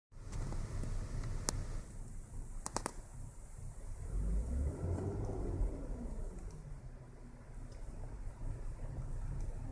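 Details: 2009 Hyundai Santa Fe 2.7L V6 petrol: rough idle with low uneven rumble that swells and fades; randomly stalls when slowing down, cause unknown.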